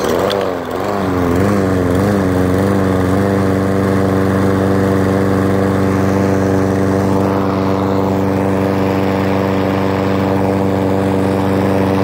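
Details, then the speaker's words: Mower after carb cleaning, pull-started with no choke and no primer: catches, hunts up and down for about three seconds, then settles into a smooth, steady drone; runs fine. "well I just saw there it runs smoother than everything has that surging in the beginning"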